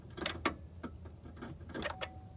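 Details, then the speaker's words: 2013 Chevrolet Captiva 2.4 Ecotec with a fuel pressure gauge fitted: relay clicks and a faint brief pump hum as the key is cycled again, but pressure does not rise. It first hit 60 psi (spec 50–60), then bled down quickly to about 54. "had lars hit the key again nothing happened um you can hear the pumpkin but no added pressure"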